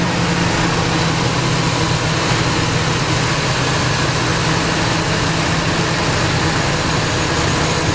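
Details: Ford Triton 5.4 V8, probably run without oil changes for about 100k miles; oil sludge and metal shavings were found, it was flushed, and it now runs 10W-40. A steady idle has a dull, fairly even deep internal knock under the exhaust, worse when revved; cause unknown. Earlier lifter noise is gone.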